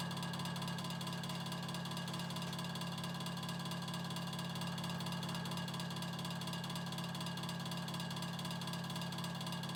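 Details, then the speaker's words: Early-1950s Vornado Jr. two-speed table fan, about 7-inch blade, on high: loud steady hum with harsh buzzing and pulsing throb, running only about a third speed; owner believes motor burned up with shorted windings, needing rotor rewind. "The fan only runs about a third of its speed and it just sounds terrible."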